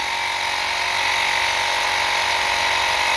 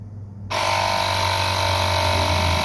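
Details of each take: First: Lokithor JP400 jump starter's built-in air compressor runs about 8 minutes, steady high buzzing drone for seven seconds then cuts out abruptly with temperature indicator on: thermal overload shutoff, left to cool. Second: Lokithor JP400 jump starter's built-in air compressor, battery at two of four bars, pumping up from about 28.5–29 psi until it stops at 35.9: kicks in abruptly, then a steady even buzzing drone; normal running.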